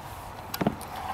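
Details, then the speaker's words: 2017 Toyota Camry Hybrid with code P0ADC, during a test-light bypass on the SMRG relay control pin (pink wire): a faint hum, then a single sharp click as the relay pulls in and SMRG status turns on, normal. "touch it to the pin you hear the relay click and indeed smrg status turned on so that works"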